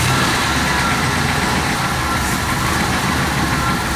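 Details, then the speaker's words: One-owner 1966 Ford Galaxie 500 XL, 428 V8, 4-speed, first running after 30-31 years sitting: even, steady V8 rumble at smooth idle, no knocks or misses; healthy, normal running. "Man, this is crazy. There's a 428 Ford right there running after 31 years."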